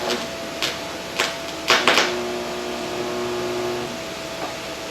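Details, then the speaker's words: Tite-Spot spot welder on a cleaned car door opening, power turned down and preheat timer adjusted: a few sharp snaps then a steady two-second electrical buzz ending cleanly, a good spot weld. "that's what a good weld should look like, and that's what it should sound like."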